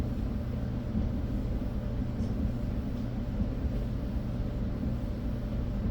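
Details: Whirlpool dryer running normally: smooth, even low rumble with no scraping, thumping or squeal; drum and blower wheel sound healthy.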